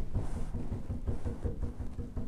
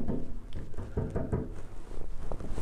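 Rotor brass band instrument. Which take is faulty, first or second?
second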